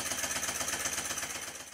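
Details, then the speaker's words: Stuart 10V steam engine, rebuilt and running on compressed air after final valve-timing tweaks and tightening of the main-bearing-to-sole-plate bolts (which cured a tight spot at bottom of stroke); soft, even exhaust beats, very quiet, no knock, normal running. "here the engine is running after the final adjustment after a final tightening of the bolts that hold the main bearing to the sole plate it sounds like this it's so quiet you can actually hear me breathing in the"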